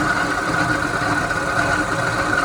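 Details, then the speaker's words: 1985 Astro Van, 2.5 L Iron Duke four-cylinder with AC, at idle. A constant mid-pitched whirring drone rides over the engine, from inside the water pump, which has slight play. Failing water pump bearing. "That's basically the sound that I'm getting when the van is on idle. And I was able to diagnose it to the water pump because everything all seems to be just fine. and the sound coming directly from the internal components of the water pump."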